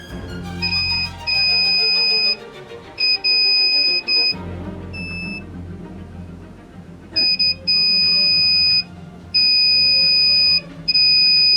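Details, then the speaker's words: Aiwa CSD-SR545 compo (2000s), tape playback mode switch tested: continuity beep keeps cutting out and returning, showing dirty, unreliable switch contacts; fix is cleaning with contact cleaner. "Ya, kondisi koneksi saklar sebagian tidak sempurna. Coba bersihkan saklar dengan menggunakan contact cleaner."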